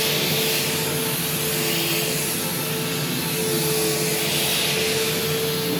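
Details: Bypass vacuum cleaner after cleaning: loud, steady rushing roar with a constant mid-pitched motor tone, no knocks or rattles. Loud but not defective, fully working. Normal running.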